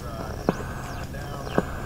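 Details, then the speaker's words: Restored Sparton 5 tube radio after alignment: soft thump about once a second over steady static; owner believes it is his sleeping computer's power supply refreshing RAM, not confirmed. "that pulsing sound is the power supply in my sleeping computer uh refreshing the ram memory that's what i understand it to be about every second it gets refreshed"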